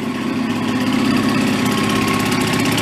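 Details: Benelli Andretti M50 two-stroke scooter, 500 miles, long stored non-running, after reassembly, carb idle unadjusted: steady, even idle with quick regular beat, no misses, knocks or surging; running smoothly.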